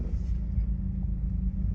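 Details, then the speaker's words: 2012 Mazda 3 Skyactiv 2.0 at idle before a spark plug change: slightly rough, uneven rumble with dips and stumbles, worse when fully cold; owner believes it is misfiring but doesn't know the cause and hopes new plugs fix it. "here you hear it it's kind of a little rough this sound right here it's even worse when it's completely cooled down that's because it's misfiring"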